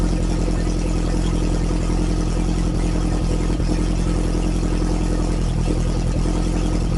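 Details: Freshly refreshed Lotus Esprit engine running while not fully warm (about 30–40°C): deep, loud, even exhaust drone with no knocks, ticks or rattles. Runs smooth and healthy.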